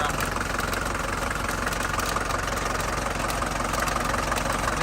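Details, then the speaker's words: 1981 Mercedes 240D diesel, sat about 15 years, at idle: regular knock near three per second over the clatter, seemingly inside the block, with some blow-by; cause suspected, not confirmed. "man though for it to run that's nice I kind of wonder where that noise is coming from"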